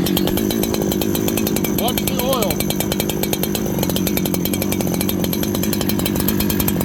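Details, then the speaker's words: Farmertec 288 kit chainsaw after oil pump repair and carb tuning, idle adjusted so the clutch doesn't engage, restarted on one pull. Quick, even buzz with a steady firing rhythm that never hunts or stalls. Normal idle. "now my experience with this saw is it'll idle pretty slow so now restart it should start one pull okay one pull"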